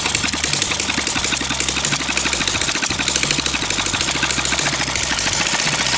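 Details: Long-unused small petrol water-pump engine, hard to start, finally started: quick, even firing beats hold steady with no misses or surging; idles smoothly and sounds healthy.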